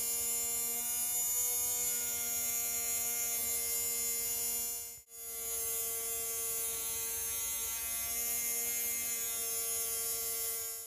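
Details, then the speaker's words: Tamiya Mini 4WD small brushed motor during break-in, run about one minute before applying break-in oil to bed the brushes: steady, even high buzz with no wavering or rattle; motor spinning freely, sounds healthy. "so you can hear it's starting to break in okay and you want to keep running for about 1 minutes"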